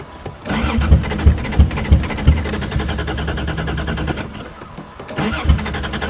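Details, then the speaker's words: 1982 Toyota Cressida with 246,000 km, first start: cranks in uneven pulses, catches briefly, stumbles and fades; it is hard to start and stumbles, and the owner suspects fouled plugs. "Come on, you can do better than that. Well, it sounds like it's having a hard time."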